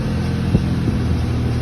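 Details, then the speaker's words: 2008 Nissan Maxima idling while being checked for not going into drive (reverse and neutral only): a loud, deep, steady rumble with a raspy edge, caused by a known exhaust manifold leak. "just so you guys know i do have a exhaust manifold leak that's why it sounds so loud"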